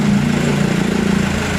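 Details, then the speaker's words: Mitsubishi Canter HDL 136 diesel truck, after repair of a cracked injection pump timer whose fragments fell into the oil sump, bearings undamaged: steady, even idle with a smooth regular beat, no knocks or misses; normal idle. "enternya suaranya masih halus mesin Ada kemungkinan ya masih normal Masih normal"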